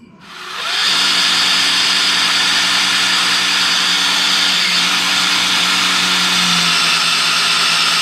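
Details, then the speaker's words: Rat rod with a newly installed dry oil pump, primed with a drill before start: steady high drill whine holding even, then pulling down with drag as oil pressure builds; normal oil pump priming. "okay that's what it supposed to sound like did y'all hear it pull down I did I heard it get some drag"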